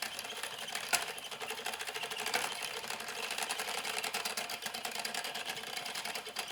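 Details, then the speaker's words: Louet S45 spinning wheel while treadling: a fast, uneven clatter of light ticks and rattles; the owner suspects the flyer is not secured because its small screw has come undone, not confirmed. "the sound is coming from the flyer not being secured so if i tighten that little screw up again"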